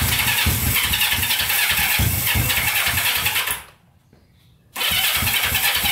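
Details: Barn-find Honda CB350 twin (listed as 1970 or 1974), sat for years and sold as non-running, on its first start attempt with choke on and fuel in both carb lines: loud rapid popping about 3.5 firings a second, cutting out, then catching again.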